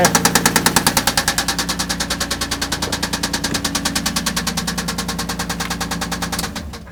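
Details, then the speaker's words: Toyota Land Cruiser engine idling with a sharp, very even deep knock at about three per second, fading slightly toward the end. Cylinders are loosened one at a time to check for a pitch change and rule out simple external causes before opening the engine. Cause not confirmed. "loosen it up and we'll see if there's a pitch change in that knocking"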